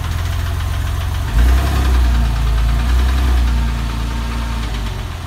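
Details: 996 engine at idle: deep, uneven idle with loose, irregular tapping about four a second over the rumble. Abnormal noise, cause unclear.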